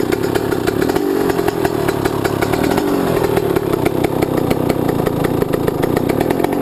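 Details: YZ125 two-stroke, either the 2001 at its first start after a rebuild with a new Wiseco piston or the freshly rebuilt 1999: busy crackle with fast, even firing and steady pitch; runs cleanly, healthy.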